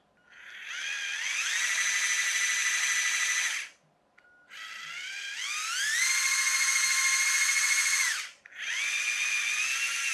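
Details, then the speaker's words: Chicco Jimmy Thunder RC car in hobby-grade conversion, after the gearbox slip clutch was fixed solid and reassembled: a shrill whine climbs in pitch as the motor spins up. The gears scream from an unknown source; misalignment is suspected. "and yet as soon as I put it together it's uh screams and it's not my fixed-gear that's screaming I don't know what it is screaming"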